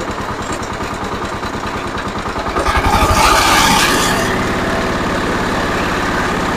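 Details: Zubr walk-behind tractor (motoblok) single-cylinder engine, started after reassembly with the oil and water sensors fitted, rpm lowered and oil pan cleaned; a new voltmeter reads 12.7 V. It cranks, catches, revs and settles into a steady, even beat with no knocks.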